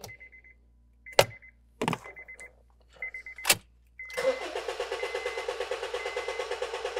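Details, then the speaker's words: 2013 Honda Fit 1.5L with a dead-cylinder misfire (P0303, P0203), cranked with the injector fuse pulled for a relative compression test. After some chimes and clunks, the starter cranks with steady, evenly spaced pulses about four per second. Compression is even. "well it sounded pretty good let's see what we got so looking at our pattern here it looks pretty good"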